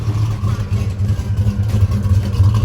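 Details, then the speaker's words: Truck with a 6.2 V8 swap, two years after install, not yet tuned, oil pressure over 40 psi, known exhaust leak at a clamp missing its nut: deep, even rumble with a steady beat, no knocks or misses; sounds healthy. "sounds pretty good can't wait to see what it sounds like after it gets it gets tuned you know"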